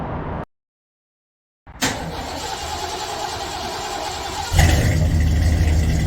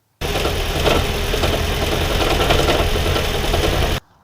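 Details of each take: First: 2014 Gen 3 Toyota Prius petrol engine starting and settling into a steady, even idle with no rattle, after the owner's repair of the knocking and shaking; owner chose to ignore a possible head gasket issue. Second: 2014 Gen 3 Toyota Prius petrol engine before repair: a rough run with uneven knocking at about three or four thumps per second and shaking. Owner suspects anything from a failed PCV valve to a head gasket; unconfirmed.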